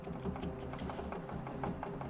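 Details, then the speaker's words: BMW E30 Getrag 260 manual gearbox (M20 six-cylinder) at idle with clutch out: light, uneven metallic rattle and clicking from a worn input shaft bearing with slight excess play, the "Getrag death rattle"; replacing the bearing should cure it. "that's what's doing it that bearing's worn it's not bad and honestly it's just going to make that sound called the good trag death rattle but you can replace this input shaft bearing and it should go away"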